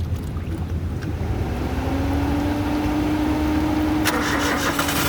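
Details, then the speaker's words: Freshly assembled Suzuki Alto engine on its first test start after the radiator was filled with water. It catches and settles into a steady low idle with the fan whirring; started successfully. "Now we have started the engine successfully. Started, so well done. Successfully."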